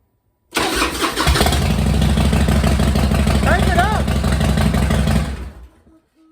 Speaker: just like that, guys, it fired up and you're ready to ride.